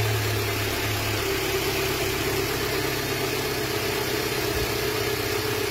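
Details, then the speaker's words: 2019 Renault Symbol 1.2 16v petrol at around 60,000, cold start after four hours off; settles into steady, even idle with no vibration or shake after fixing cold-engine vibration, attributed to oil quality. "بارده شحال عندها هي طافيه؟ ثلاث سوايع وحده تسعه تجي تسعه اربع سوايع هاي بارده الحمد لله هذه هي النتيجه."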